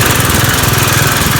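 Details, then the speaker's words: Snapper riding mower started in neutral after fixing a blade that had fallen off: runs steady and even, blade spinning smoothly, the earlier violent vibration gone. "Let's go ahead and start the mower and see if it sounds better. Alright, always start these in neutral. And let's take a listen and see if we're okay now. Oh yeah. Alright, so that's all it was."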